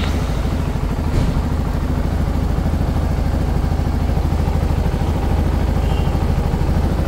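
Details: CFMoto 300SR single at idle: a fast, even metallic ticking like a sewing machine, attributed to loose valve clearance.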